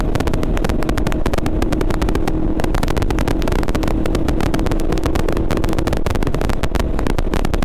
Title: GoPro 8 Crackling Noise